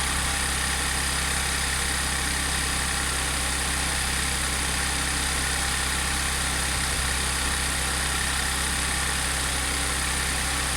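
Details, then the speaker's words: Audi S4 B8 3.0T supercharged V6, first cold start after repairing P0018 bank 2 camshaft correlation fault (timing chain had jumped a sprocket): smooth, even high idle with steady hum, no ticking, rattle or chain slap; normal cold high idle, no fault codes. "wait for it to kick off the high idle and see what it sounds like on the low [Music] idle"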